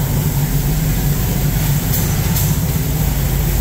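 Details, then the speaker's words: 1974 Ford Bronco V8 after engine swap with Sniper 2 fuel injection and MSD ignition: deep, steady burble with even, unbroken rhythm, injectors audibly pulsing, no knocks or misses; healthy idle. "there it is running you can hear the injectors pulsing in the back there"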